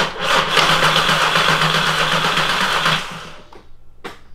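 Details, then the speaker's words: 3.6L VR6 swapped into a MK4 Jetta GLI anniversary edition, first start attempt after wiring the alternator charging harness: starter spins the engine evenly at about four turns a second for three seconds but it never fires; no fuel reaching it. "we got no fuel yeah we don't have fuel okay well Jordan that was the first attempt it cranks over yep feeling good"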